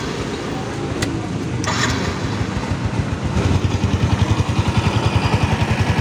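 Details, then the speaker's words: Byson single-cylinder motorcycle after replacing the worn clutch set, timing chain, tensioner and tensioner blade to cure a ticking noise: revs to a steady, even beat, about 3.5 pulses per second, no ticking or clutch rattle; normal running. "Jadi, suaranya mulai terdengar lebih halus, kan? Karena kedua komponen ini telah diganti, tidak ada lagi suara berisik di area kopling."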